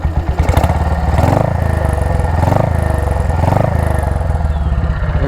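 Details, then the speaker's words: BSA Gold Star single riding during break-in after major engine repair; crisp even thump with a bright chirpy "tweeting" exhaust pulse rising and falling with throttle; healthy exhaust note. "I absolutely love I'm going to open my visor here. I absolutely love the the tweeting from the exhaust that the Goldstar gives."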